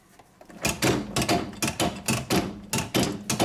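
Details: Hoover 1400 AAA HNF 7148 washer-dryer giving bursts of hard metallic clattering, about two a second, traced to loose nuts on the bottom counterweight, tightened with a 14 mm socket.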